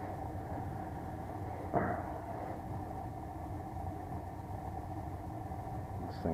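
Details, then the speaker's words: Bryant 394GAW048125 furnace, unmaintained and full of lint, with a cracked heat exchanger: steady, rough drone with a dull hum and no clean tone from the blower motor; noisy, failing blower motor. "yeah that noise you hear bad-boy remoter"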